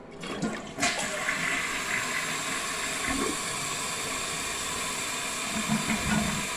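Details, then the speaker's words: 2001 Eljer Savoy toilet tested after its broken handle was replaced: a strong full rush of water drains and settles into a steady refill hiss. The flush works normally. "that sounded like it worked."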